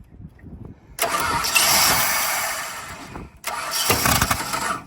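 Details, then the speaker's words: Free donor ute with Chrysler 215 Hemi six, three-on-the-tree, fuel poured in by hand: catches with a loud roar while cranking, cuts dead when starter released, fires again; owner suspects ballast resistor or wiring fault underneath. "I'd have to, because it's, as soon as I pull it off, it then shuts off, eh?"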